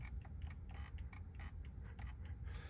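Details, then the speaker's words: Steering wheel rattle while driving a 2024 Tesla Model 3 Long Range AWD owned about a year and a half: light irregular plastic ticks over low road rumble; owner suspects loose plastic pieces behind the wheel. "So that's just like when you're driving, right? If you don't have the sound up full blast, you can hear this the rattling on the steering wheel."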